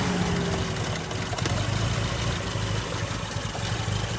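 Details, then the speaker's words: Toyota AE86 Corolla, 4A-C carburetor engine, idling before Seafoam treatment: steady low idle with a faint light tick, slightly rough, only slight lifter noise, no real knocking. Normal, quiet-running engine. "So overall, this is a quiet running engine. You can hear it's a little rough on the idle. It's only a slight amount of any kind of lifter noise or anything like that. Pretty quiet."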